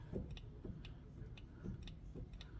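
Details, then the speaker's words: Chevrolet Tracker with a new front-end noise, heard while prying underneath after sway bar end links checked solid: sharp dry clicks about twice a second from free play; worn CV axle joint. "I got under here started prying oh yeah so we got CB axle issue okay"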